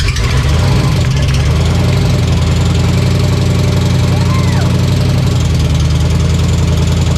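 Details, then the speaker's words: V8 at first fire-up: lumpy idle with a light fast tick over the firing pulses; owner unsure, suspects the starter hanging up; a fuel leak was also found. "a little tick but hey it makes noise I don't know what that sounds a little Ticky I don't know if this starter is hanging up or something"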